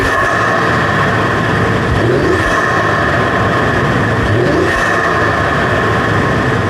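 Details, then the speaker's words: 2015 Ford F150 3.5 EcoBoost turbo with new plugs and a high-flow filter in the stock intake tube: two smooth revs with a clear turbo air whoosh through the intake; a healthy engine pulling cleanly. "it still sounds cool maybe not as cool as like a cold air intake but you definitely can hear those turbo sounds just through that regular intake tube and it sounds so good"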